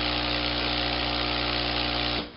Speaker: can hear the noise is different what it's doing is sucking the air out of the cushion and putting it back down to a very flat position